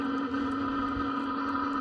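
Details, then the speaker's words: Webasto parking heater in a Sherp running normally at about 25°F, heard from outside the vehicle: a loud, steady, even roar with a constant mid-pitched hum and no knocks or surging. It is loud outside, not inside, with some steam from the exhaust. "this is just the Lobosco heater [Music] so as you can hear it it is loud not on the inside that on the outside"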